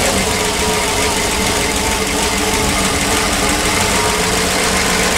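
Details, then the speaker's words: PAZ-672 bus engine at idle after valve clearance adjustment with valve covers refitted: loud, even idle with a steady drone and no distinct tapping or knocking; the previous knock is gone, normal idle. "Не знаю, слышно или нет разницу, но стук пропал."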